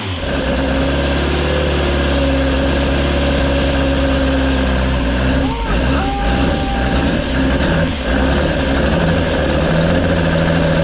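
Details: Rebuilt Ford crossflow race engine in a Vixen with loaned cylinder head, first start after repair; crisp strong idle picking up cleanly on throttle blips and settling evenly; running healthy.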